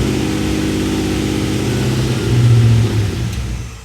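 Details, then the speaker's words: LS1-swapped Chevy C10 after its failed Holley EFI computer was replaced with a PSI system: engine keeps idling and revving after key-off, then stumbles and dies. Code later read: camshaft position sensor A circuit low, bank 1. "Oh, now it won't shut off. It just shut off on its own. Must have had a lot of fuel in them cylinders."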